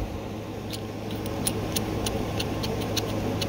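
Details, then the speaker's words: Comp Cams trunnion bearing kit on LS-style rocker arms after about 20,000 street miles, turned by hand off the engine, giving rough gritty clicking from worn, loose needle bearings; it is being replaced with a bronze bushing kit. "You can hear them. Imagine your engine turning way faster than that under a load. Very, very noisy."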